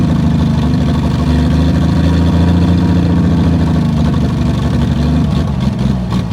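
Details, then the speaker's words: 1959 Ford Edsel V8 after sitting over a decade: loud uneven low chuffing idle with ragged stumbling rhythm; fuel pump gone and large exhaust leak suspected, not confirmed. "fuel pump's gone opy and it has one hellacious exhaust Le like usual"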